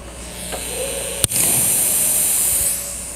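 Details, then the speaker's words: Cerwin Vega sound system with the cable connected: after a sharp click, a steady high airy hiss holds from the speaker. Suspected to come from cable and ground wiring faults, to be eliminated by checking the cables. "ahí tengo el cable conectado Vale entonces ese ciseo es el que vamos a a eliminar y ahorita vamos a empezar a checar cables"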